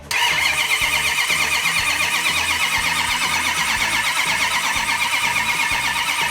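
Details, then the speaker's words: Numbers-matching 426 Hemi V8 before its first start, cranked without ignition so the camshaft-driven fuel pump fills the vapor separator and carburetors: steady starter whir with even compression pulses, about two a second, turning freely; normal cranking. "So Doug, if you wanna crank it over without an ignition, I will let you know when it starts pumping some fuel. Let's crank it over for a little bit, hear how it sounds."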